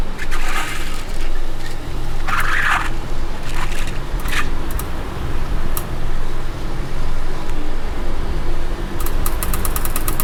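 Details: Car driving: sharp fast clicking from a wheel over heavy road rumble, before the fix; cured by cleaning the wheel and brake disc faces with brake cleaner and refitting with nuts torqued in a star pattern.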